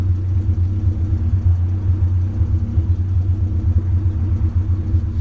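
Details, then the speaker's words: Honda CRX B17 engine that jumped timing on the highway: low, lumpy idle with uneven beats and occasional stumbles; engine missing, owner suspects bent valves, unconfirmed pending compression test. "I don't know if you guys can hear it but you do hear just like kind of miss"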